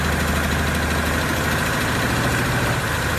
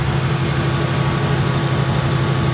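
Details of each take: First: 2018 Ford Mustang V8 at idle: light, fast tick about three per second over the rumble; engine tick, cause suspected but not confirmed. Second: 2018 Ford Mustang V8 idling after a drag strip run: steady, even low rumble with no ticking or tapping, only normal direct-injection sound; engine healthy, no tick.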